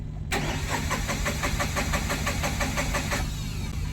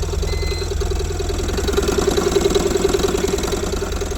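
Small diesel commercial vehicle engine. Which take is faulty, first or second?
first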